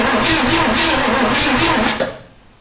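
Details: 1971 Chevy Nova left sitting over 30 years, choke and throttle propped open: steady starter cranking that never catches; turns over but won't fire, plugs wet with fuel, compression test next.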